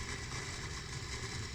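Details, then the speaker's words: Automatic sliding gate opener motor running: loud, coarse steady drone with rough rumble underneath; worn, badly rusted bearings (6203 and 6003) inside the gate motor. "Sepertinya itu di dalamnya itu banyak ada ini ada bearing yang bermasalah atau gimana atau gearing yang pecah atau gimana."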